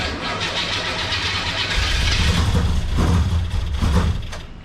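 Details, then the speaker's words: 1984 Monte Carlo, cold engine with freshly adjusted Quick Fuel carburetor, first start: catches and runs lumpy and uneven under throttle with a stumbling beat; started without number one cylinder firing, dead-cylinder misfire. "Oh. It started without number one. I saw a spark."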